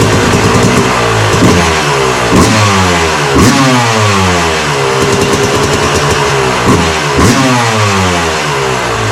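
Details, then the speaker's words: Yamaha YZ250 two-stroke first start after fresh top end (new Wiseco part, 74 hours on old top end), kicked over outside: crisp eager buzz rising and falling cleanly with throttle blips, no misfire or rattle; runs healthy. "i just had it outside um kicked it over got it going fire it up now"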